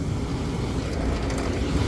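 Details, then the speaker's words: Vent hood exhaust fan after its failed new motor was replaced, with amp draws good: a steady, even whoosh and low rumble with no knocking or scraping. The fan runs smoothly and sounds healthy; an earlier switch replacement had not fixed it. "that sounds better"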